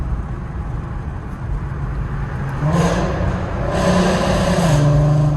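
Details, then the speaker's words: VW Mk5 R32 VR6 with new exhaust and resonator delete: steady light-throttle drone, then more throttle brings a coarse rasp over the note; raspy exhaust that only sounds good at light throttle. "raspy it is? So it just doesn't sound good. Whatever this resonator delete is just made it really raspy."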